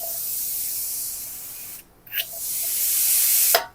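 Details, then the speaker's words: Hyundai Staria 8-speed automatic valve body on bench, air test, with shudder around 30 km/h, fluid apparently never changed: loud steady hiss cutting off twice, line pressure leaking past worn main accumulator bore; damper clutch solenoid also failed. "지금 나오죠? 뭔가 이렇게 김이 나옵니다. 김 보이시나요? 이게 >> 김 나오는 거 작동 안 하는 거예요, 이거 지금? 예, 지금 압이 엄청 세는 겁니다."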